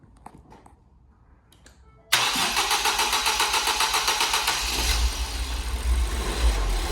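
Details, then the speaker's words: Fire-damaged Ford Fiesta ST 215 rebuild, restarted after plugging in sensors: the engine catches quickly and settles into a fast idle that swells and dips. It is hunting because much is still disconnected; a little tick is also heard. "it's time running god that sounds beautiful it's hunting yeah but it's still a lot disconnected"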